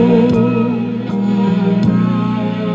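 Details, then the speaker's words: 1986 Panasonic RX-FD80 boombox, over 30 years old, with new belts made for this unit: music on tape plays off-speed with a wavering, sagging pitch. Tape speed is inaccurate and the deck still needs to be taken apart. "and here's how it sounds it's pretty awful so I'm gonna have to take it apart and see why it the tape speed is not uh very accurate"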